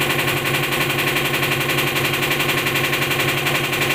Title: top top load washing machine noise problem